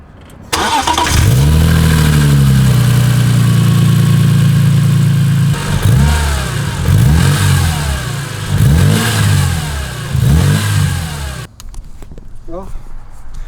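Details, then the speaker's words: BMW E46 M3 after fixing a rattle heard when turning the wheel or when idle dipped: the engine fires first try, settles to an even idle and takes sharp blips without any rattle; normal start and idle. "by the sound of it it looks like that was the issue obviously we got to drive it around and still see if it makes that sound but for the most part i think that was what was wrong with it"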